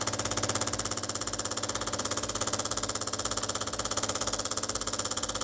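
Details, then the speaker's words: Used DeLonghi PrimaDonna Elite espresso machine, circuit empty, flow meter possibly clogged: loud, steady, fast-pulsing pump buzz that never changes, no water flow; pump suspected broken. "it a chance, but it doesn't work at all. Maybe the pump is broken, okay."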